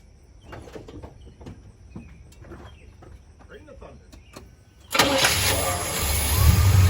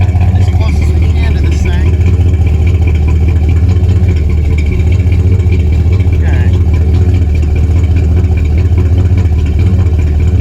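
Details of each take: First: 1977 Chevy C20 V8 truck with a long-standing miss, new performance plugs and wires, sat 5–10 minutes, distributor timing set by ear: brief crank, slightly hesitant catch, no throttle, then steady even idle; normal start. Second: 1977 Chevy C20 V8 truck, mic at the exhaust: deep, uneven idle with a loping stumble and miss, with the distributor at its as-bought setting, i.e. retarded timing, before advancing the timing by ear.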